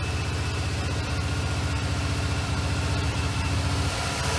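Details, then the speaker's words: Monte Carlo V8 running with water in the radiator: slightly uneven, lumpy idle pulse; coolant dripping from muffler, one cylinder pumping straight water; blown head gasket suspected, teardown reveals cracked cylinder heads. "Well, other than the blown head gasket, it seems to run good."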